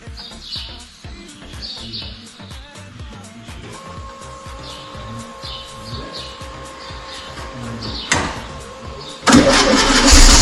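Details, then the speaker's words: Late VW Bay Window camper, air-cooled engine, after a fuel pump swap and a little cold: an even, chuffing idle, then a clean throttle blip that revs up freely; running fine. "Obviously a little bit cold."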